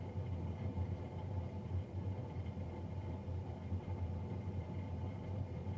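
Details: Navien NCB-240 boiler recorded three days after a Jan 31, 2020 service: steady low droning hum with faint whine above, no speed change; combustion fan running unusually loud.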